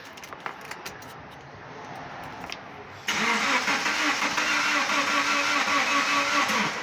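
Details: 2010 Subaru Liberty with intermittent crank-no-start: several seconds of cranking before it catches, then it runs only with the throttle held up and won't idle on its own; throttle body cleaning is planned.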